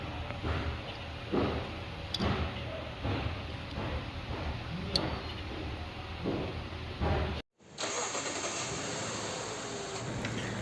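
Engine cranks and catches, then settles into a steady idle with no knock or rattle; sounds like a healthy start.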